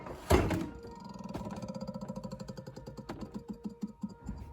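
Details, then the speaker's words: Samsung RF28HFEDBSR fridge, recorded from the back: after the door thump, a fast ticking slows as the rear fan behind the internal panel coasts down. Its blade clips ice building up on the coils, which points to a defrost fault. "what's happening is in the back panel here there's ice building up there's a fan that spins and it's as ice gets thicker the fan Clips the ice"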